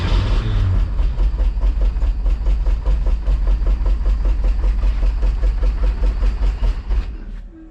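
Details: Porsche 914 race car started after sitting for years, with a freshly charged battery and a replaced fuel pump. The engine catches and chugs at about two and a half beats per second, then fades out and dies within seconds.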